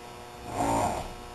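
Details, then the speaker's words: Zuber smoker door seal compressor cycling on: a short, steady hum that swells and fades; normal operation, nothing wrong. "There's the compressor again."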